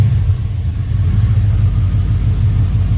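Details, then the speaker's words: Chevrolet Impala V8 after fixing multiple vacuum leaks: low, steady, even idle around 800 rpm, no bouncing, miss or hiss; exhaust leak still unrepaired; normal healthy idle. "it's about 800 RPM and it's sitting there steady it's not really bouncing"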